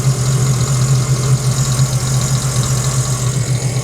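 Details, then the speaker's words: Supercharged Sea-Doo engine freshly swapped in from another ski, first power-up at idle: light uneven rattle over low drone, source unknown, absent in the previous ski; no engine lights. Rattle at idle. "not sure what that actually is. It didn't have this rattle before when it was in my other ski."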